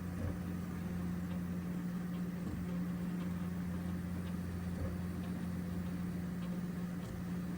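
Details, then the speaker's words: Original Prusa MK4 first layer after the noise fix: steady low motor hum with faint soft ticks, smooth and quiet, where before it was loud. "but now it sounds pretty smooth"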